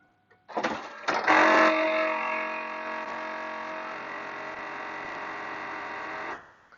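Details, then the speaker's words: Pontiac Firebird pop-up headlight motor, old vehicle, sometimes sticks down: steady motor whir with irregular clicks as the headlight lowers; a loose internal gear suspected, motor to be replaced. "but when it goes down it makes a clicking noise as shown here go ahead and lower it"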